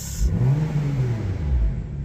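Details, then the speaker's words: Crashed BMW M2 after reconnecting a deliberately disconnected wire under the engine: blips rise and fall smoothly, no stumble, now on all six cylinders instead of five; drivetrain fault still shown; normal revving. "Sounds like a different car. It doesn't sound as good to be fair. Um, now we're running on all six cylinders and not five."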